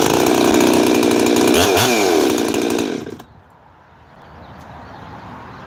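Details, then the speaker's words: 372 chainsaw with 210 psi compression and an aftermarket 52 mm big-bore top end, being heat-cycled hot: it screams at high revs, then drops cleanly to a quiet, steady idle without sputtering, restarts easily; normal running. "even at 210 pounds of depression look how easy it is to restart watch this"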